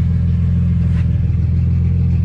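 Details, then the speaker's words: Ford AU Falcon after installing a Walbro 255 fuel pump, run to clear air from the fuel system: deep steady low rumble with an even beat, no misses or knocks; normal idle. "So I'm just gonna let that run for a bit to make sure it's got no air or anything in it. And put the cover and everything back on. Oh, she's running good."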